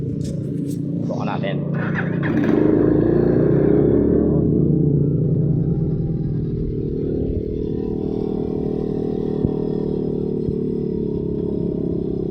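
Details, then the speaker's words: Honda XR200 after carburetor setup and idle adjustment, exhaust has a hole: a few rough, uneven seconds then a steady, even single-cylinder putter; idling normally after repair. "Ayan po guys napaandar na natin yung motor. Maganda na. Na-setup na natin yung karburador. Goods na siya."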